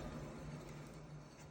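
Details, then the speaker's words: Car driving above about 50-60 km/h gives a low, steady droning hum with a rough vibrating edge, felt at the spring/shock top; worn wheel bearing, replaced, after which the noise was gone. "là vous entendez la vibration que ça fait donc là on va procéder au remplacement du roulement"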